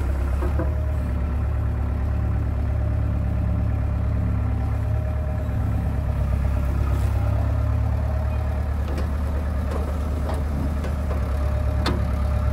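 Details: John Deere 490E excavator with Hitachi hydraulic pump, computer bypassed, pump put in limp mode; deep steady diesel drone holds even speed under load without sagging, slower but no bogging.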